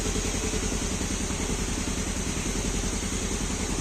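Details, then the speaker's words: Fuel-injected motorbike with a hard-starting complaint, after clearing the sensor and resetting the standard ISC, engine connected to a diagnostic tool: steady even idle with a smooth low pulse, no knocks, misses or rattles; started and runs normally. "Mudah-mudahan nyala nih. Ah, dia nyala normal ya."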